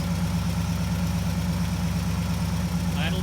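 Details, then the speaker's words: 1960 Pontiac Ventura with three carburetors, cold start in a 55°F garage on choke: a slow, even, low lumpy idle, sluggish but expected on choke, with no knocks or misses. "it's really sluggish but that's the expected with Nicole"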